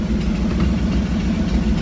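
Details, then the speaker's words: 1964 Pontiac Tempest straight six after over a year stored unwinterized, started after scraping the ignition points: low even idle rumble with steady beat, no stumble or knock, running smooth. "and running smooth tell you what these little straight senses you can't hardly beat them over a year sitting not winterized or anything and she's she's running running smooth"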